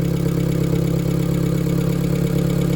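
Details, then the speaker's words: Hyundai turbo daily driver at idle after an oil top-up, lifters not yet primed: steady petrol idle with a light, fast hydraulic lifter tick expected to calm down. "You can hear them lifters still ticking some. This car is actually decently quiet. Those lifters will calm down."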